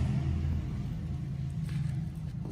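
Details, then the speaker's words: Refrigerator not cooling, compressor started with overload/relay cover opened: heavy deep straining hum at start-up drawing about 14 A, smell noted; compressor hard start. "Ampernya cukup tinggi ya, di 14 ya tadi. Apa ini? Jadi angkatan pertama ini terasa berat ataupun tinggi."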